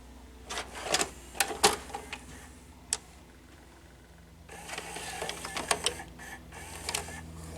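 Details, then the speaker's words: 2002 Symphonic SL240C mono VCR, likely a Funai mechanism: soft motor whir with small clicks and clunks as the tape threads in. Loading works normally, but the head then fails to spin up. "Okay, it loads."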